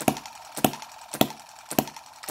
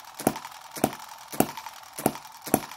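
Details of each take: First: Microcosm M17 1.6cc hit-and-miss model engine after richening the mixture: sharp evenly spaced firing pops roughly every 0.6 s with quiet gaps; running rich, owner fears it may die from over-richness as before. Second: Microcosm M17 1.6cc model hit-and-miss engine being revived; it had been dying from over-richness and flooding, cleared by holding the exhaust open and turning it over. Sharp pops about every half second with quiet coasting between: normal hit-and-miss running.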